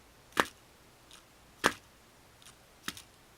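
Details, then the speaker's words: Micro T RC stadium truck with fully independent suspension that sags at the rear: three sharp plastic clunks with faint rebound ticks as the rear chassis bottoms out on the ground, which it doesn't do in the front. "You hear that clunk? That clunk is the bottom of the stadium truck hitting the ground."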